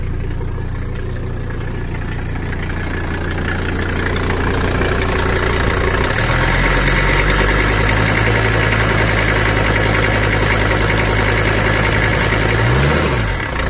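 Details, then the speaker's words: Mercedes 300D OM617 diesel at idle after running with zero oil pressure from a blown oil line, now patched and refilled: steady, even clatter with normal injector tick and no knocking; the engine sounds healthy. "it sounds good I was fairly confident it was okay"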